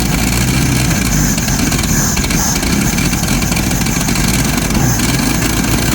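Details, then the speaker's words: 1990 Jeep YJ 4.2L 5-speed, after a new fuel pump and refitting five spark plugs: engine catches but runs ragged, lumpy and stumbling, never settling to a clean idle; owner suspects fouled plugs, and the new pump is leaking; rough running. "yep I don't know seems like it's still not wanting to run very good even though we got"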